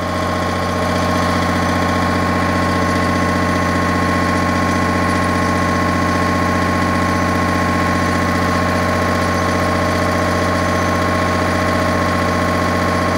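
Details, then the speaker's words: MEP 1040 military diesel generator just started after priming, at 60 Hz and making power, fuel returning to tank: steady even diesel drone, constant pitch, no knocks or surges; normal running, owner suspects two pumps bad. "I can see fuel is making its way all the way back to the tank it booted up it's running and making power that's a fantastic sign"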